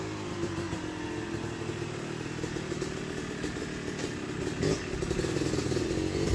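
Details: Yamaha YZ250 two-stroke motocross bike (250cc/270cc), break-in street ride shifting through gears to work in transmission after a full engine rebuild; crisp buzz rising through gears, no knocking; shifts silky smooth, running healthy.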